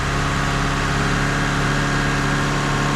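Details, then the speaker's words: Mazda MX3 back together after repair; the earlier whine was then thought to come from the belts: smooth, even idle with no transmission whine; normal idle. "Alright, moment of truth. See if all the mics work. Hard work paid off. Okay. So far, no weird noises."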